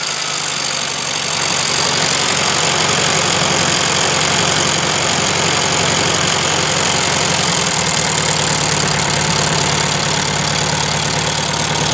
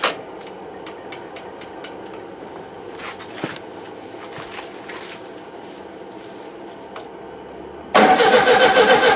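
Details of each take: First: 1971 VW Super Beetle air-cooled engine after valve adjustment (all were too tight) and repeated carburettor cleaning; steady even idle with constant cooling-fan rush, no misses or knocks; owner thinks debris blocked the small jet by the 60 idle jet. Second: 1971 VW Super Beetle with freshly cleaned carburettor; long slow uneven cranking with no catch, then it suddenly fires loud; hard starting, owner suspects over-tightened idle jet with damaged seat restricting fuel, loosening the jet got it running.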